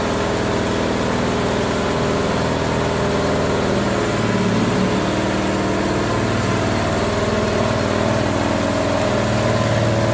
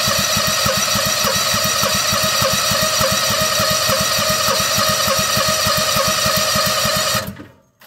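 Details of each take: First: Bobcat skid steer with Harbor Freight Predator 670 22 hp V-twin swap, old exhaust smoking as paint cures; steady even idle with hydraulic whine behind; normal idle, engine starts and runs. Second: Bobcat skid steer with Harbor Freight Predator 670 22 hp engine swap; fast uneven chugging about three beats a second then abrupt cutout; hard starting, won't keep running, owner suspects fuel line, possibly fuel starved; considering new carburetor.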